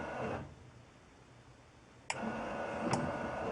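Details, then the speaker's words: 1974 Chevy Nova with an aftermarket 12 V wiper timer module that takes over only with the wiper switch off. Back to intermittent: quiet pause, then a click and a short even motor whir; normal intermittent operation. "The module only takes over when it's in the off position. See? There it is. Back to intermittent."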